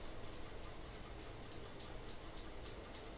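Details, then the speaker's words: Mid-2011 27-inch iMac with a reportedly new drive, while installing OS X Lion: faint, steady ticking about three times a second over a constant low hum; suspected hard drive ticking, cause unclear. "Is that the hard drive? Were you like playing the drums or something? Do you hear that?"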